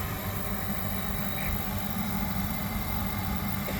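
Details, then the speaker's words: Oil boiler after a breakdown repair: the capacitor was refitted and the burner plugged back in. A steady, even roar from the burner fan and flame with no buzzing or cutting out; it looks clean inside, and emissions are to be checked with an analyzer. "bad she lives again I will just check it with the analyzer make sure it's burning clean but it looks clean inside"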